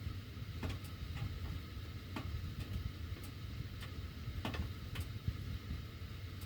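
Irregular sharp ticks every second or so over a low steady furnace rumble, the ductwork clicking as the heat runs; cause unclear.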